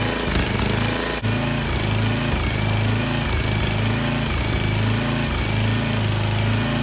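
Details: Small single-cylinder engine on a 34-ton log splitter, bought cheap and said to be locked up or blown, restarted after the leaking hydraulic return line was reattached; it chugs at a steady speed with even firing, no misses or knocks, and runs normally.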